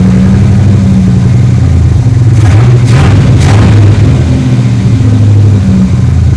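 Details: 3rd-gen Camaro Z28 carbureted V8 at idle after fixing a dead cylinder and rerouting the spark plug wires. Deep, steady idle with an even lope and no skipped beats; all eight cylinders sound like they are firing.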